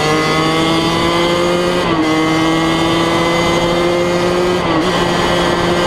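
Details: 2003 Kawasaki KX100 junior motocross two-stroke ridden under load: crisp, high-pitched wail climbing through the revs with quick gear-change dips; fast, super punchy power band, pulls clean and strong, healthy.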